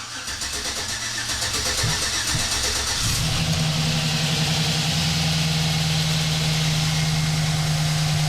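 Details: 2008 Chevrolet Silverado 1500 with about 400k km, after a 5.3 engine swap (old engine had a collapsed lifter and scored cylinder), first start: brief crank, catches cleanly about three seconds in, then a smooth, even idle with a steady low drone; healthy.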